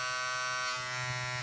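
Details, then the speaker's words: Wahl Mobile Shaver, 3 W foil shaver, switched on: loud, shrill ringing buzz with high steady tone and sharp overtones, noisier than expected; cause unknown. "Ого, слушайте, да, так шумновато, шумновато."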